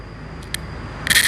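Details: Bluetooth speaker with no music playing, before repair: a couple of clicks, then a loud steady hiss with crackling that persists; noisy output, technician suspects a deteriorated amplifier IC.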